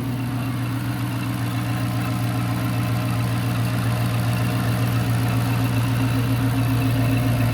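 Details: Dodge Charger R/T 5.7 AWD with 3.0 Whipple supercharger, fully warmed up during base-map tuning: deep even V8 lope at idle with smooth blower hum and no top-end ticking; lifters checked against claims they were bad, valvetrain sounds healthy.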